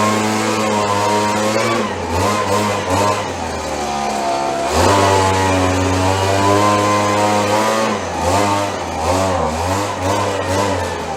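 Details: Roughly 30-year-old Stihl BG72 two-stroke gas blower on the starting bench after repair, started on choke: the buzz wanders in pitch early on, then settles and pulls evenly. It started rough but runs fine once warmed up.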